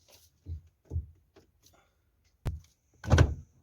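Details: Toyota Carina E steering column, wheel rocked side to side: dull low thunks from worn plastic steering column bushings, before replacement; replacing the bushings removed the knock.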